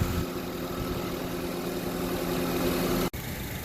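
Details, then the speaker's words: 2011 Honda CR-V four-cylinder after serpentine belt replacement (AutoZone 687K7 belt), the belt having caused the noise: steady, even idle with no squeal or chirp from the belt drive, quiet as a mouse; normal idle. "it was the belt that was making a noise. Changed it out. Quiet as a mouse."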